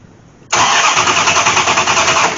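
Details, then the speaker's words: Dodge Aspen with MSD ignition and rat-nest wiring, sat nearly six years, coil positive jumped directly to a hot wire: steady fast cranking whir for about two seconds, no firing; still no spark though the coil has power, and something then smokes; crank, no start. "know still no spark even though I'm hot to the to the coil"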